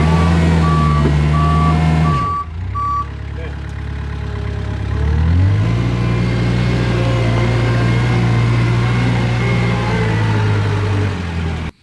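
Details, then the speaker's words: Kubota 520 hydrostatic wheel loader that won't reverse up steep hills. The diesel holds a steady high drone with the reverse alarm, then sags and labours into the pile. Reverse loses drive while forward climbs; the mechanic suspects the reverse circuit is hitting relief. "All right. So definitely proved that uh reverse just kind of falls flat on its face when you go into the pile and that forward it definitely wanted to climb that pile."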